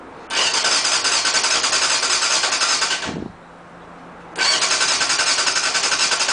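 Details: Motorcycle's first start after carb cleaning and new spark plugs, fuel lines initially empty, engine still lubricated from recent running: catches with quick crisp pulses, dies briefly, refires and settles into a steady, healthy run.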